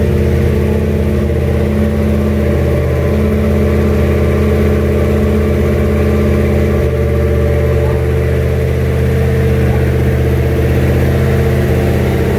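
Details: Junkyard 351W turbo V8 in a 1967 Mustang, first fire-up with headers and exhaust exiting off the fender; steady low drone with uneven lope about four beats a second, rough untuned running needing a tune.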